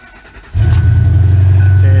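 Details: 2008 Ford F250 Super Duty 5.4 3V V8 with an intermittent no-crank no-start: this time a brief crank, then it catches at once and settles to a steady deep idle; normal crank and start.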